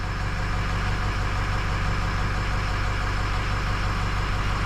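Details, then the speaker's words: 2006 Ford 6.0 Powerstroke diesel, after repair of combustion gas entering fuel system: steady low idle with even beat, no clatter, banging or knocking any more; problem solved. "there we go hey she's not clattering and banging and knocking now"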